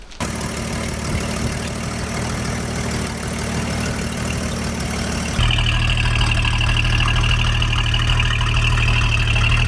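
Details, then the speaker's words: 1957 GMC 450 water well drilling rig engine running after bent push rods were replaced; steady low even idle with smooth firing beat that deepens and firms, no knocking or tapping; oil burning on exhaust caused smoke; owner calls it beautiful: normal idle. "I'm really stoked that the engine is running. It sounds beautiful."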